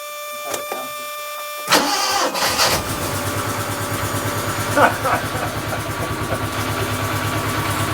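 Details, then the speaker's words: Proton 1.3 GL, not started for 2 years, fuel stabilizer in the tank, started on a jump pack: cranks and catches, then a lumpy, stumbling idle. It is misfiring and running on two cylinders. "Yes, it's going to run on two cylinders. We know that."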